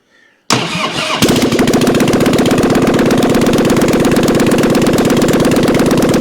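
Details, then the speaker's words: 1997 Harley-Davidson Heritage Softail Springer off the road since 2002, on its first runs of the revival with headers and mufflers not yet fitted; oil is now reaching the lifters. After a quick crank, fast, even, lumpy exhaust pulses with no knocks: normal running. "Oh yeah, we got some good oil now, slinging it everywhere. Yes, we did it. Sounds good too."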